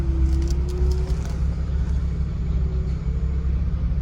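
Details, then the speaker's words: Ford Focus ST225 with an ABS fault, parked at idle: a faint mid-pitched whirring pump hum comes and goes over the steady idle. It is the ABS pump running while stationary. "I don't know if you can hear that, but there's a pump sound."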